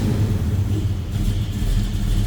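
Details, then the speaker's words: 1969 Chevrolet Nova 396 big block just after a cold start: deep rumbling idle with a gentle uneven lope from a mild cam, nice throttle response; normal idle with mild cam lope. "Nice throttle response. Sounds like that big block's got a mild cam to it."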